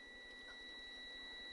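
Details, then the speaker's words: 1972 Honda Z50 Mini Trail with spin-but-no-spark, multimeter clipped across the ignition points: a steady high beep holds unbroken even with the points opened, so the meter still reads continuity; points are working. "So we have good continuity right there. You can hear it."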